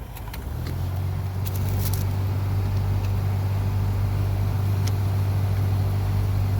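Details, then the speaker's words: Honda Element blower on AC after replacing clogged, dirty cabin air filters: a steady low fan roar comes up within a second with strong rushing air. Before, the fan was loud but barely blew; now airflow is normal. "now we got good blows look at that"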